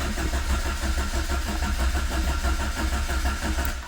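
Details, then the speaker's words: Carburetted Renault 5, cold start on full choke after sitting two weeks: starter churns in uneven low pulses about ninety a minute without catching while fuel is pumped up; extended cranking before it eventually starts. "Gotta get the fuel up. Gotta get the fuel up."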